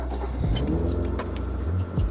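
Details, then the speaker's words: Acura Legend with a suspected failed main relay (fuel and ignition relay cracking at resoldered joints; starter and injectors first suspected): starter churns the engine steadily and cranks too long with no firing or catch. "This is pretty much what happens. We crank it, but it cranks a little too long."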